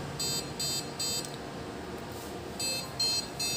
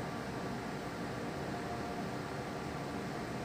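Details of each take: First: Desktop computer with no display at power-on, short high beeps repeating about two and a half per second with a pause; a RAM contact fault beep code. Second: Desktop PC that had no display and beep codes, powered on after reseating the component: only a steady soft fan rush with no beeps; booting normally, problem fixed.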